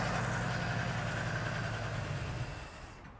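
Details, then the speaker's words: Chevelle V8, abandoned 24 years, first start after oiling the cylinders, with the carb fed and oil low: a deep, fairly even idle rumble with plenty of smoke, fading as it shuts off. It runs properly. "man she's a runer yeah yeah nice smoke cloud going there too"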